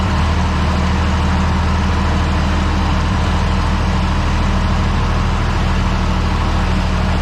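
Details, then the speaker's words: Tractor idling at 48°F after a quick start aided by the intake-air preheater, oil pressure okay: deep, steady diesel throb with no knocks, normal idle. "Still sitting there idling nice as can be."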